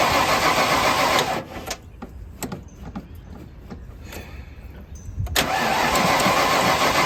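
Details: 1995 Ford Bronco parked for years, fuel pump burned out, fuel pressure only 30–38 while cranking: starter spins the engine at a steady, even rhythm but it never catches or fires.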